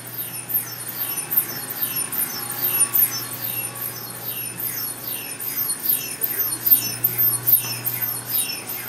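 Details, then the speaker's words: Pulse tube cryocoolers cooling Keck Array cameras at MAPO observatory near the South Pole: rhythmic high squeaky chirps a little over once a second over a low steady hum; normal pulse tube cryocooler operation. "well I record this so you can hear that squeaking noise which is the sound of our pulse tubes making these cameras cold"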